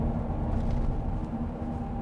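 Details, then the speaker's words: Chevy Silverado/GMC Sierra on Nitto Mud Grappler mud-terrain tires, on Fuel Anza wheels: steady low buzzing drone under the cab with a faint tone, noticeable but not overwhelming, louder at highway speed; normal mud-terrain tread hum. "Il est un peu comme un bruit de bourdonnement. Vous pouvez entendre le bruit de ronflement. Ce n'est pas écrasante, mais il est certainement perceptible."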